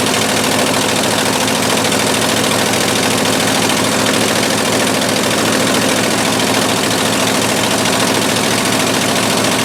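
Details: 1958/59 Ford F600 grain truck, 330 V8, long unrun, after carburetor float refit: steady low rumble at one even speed, no misses, surges or knocks; normal idle.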